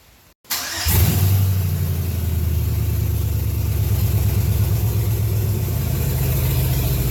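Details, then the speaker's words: 1992 Chevrolet K1500 with swapped 4.8 LS V8, first test fire on temporary wiring: brief crank, catches at once, revs, then settles into a steady, even, deep idle. Engine start and idle. "Not bad. All right, hold on. All right, that's a small victory, I would say."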